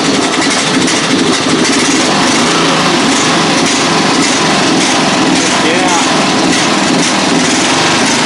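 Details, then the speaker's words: Single-cylinder riding mower in a modified Hazzard County Sheriff build, nearly out of gas: steady, even buzzing with no misses or knocks; it runs and sounds good. "So, needs gas, but she runs. Sounds good."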